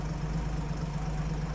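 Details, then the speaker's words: 1950 Chevrolet truck, stovebolt inline-six after new gaskets, plugs and valve adjustment, at about half choke warming up; low even idle with no puffing from the previous exhaust leak; normal idle. "Oh my gosh. Started right up. I can already tell the leak sounds better, too."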